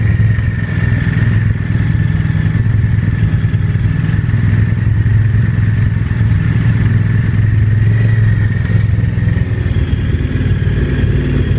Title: VTR1000 engine knocking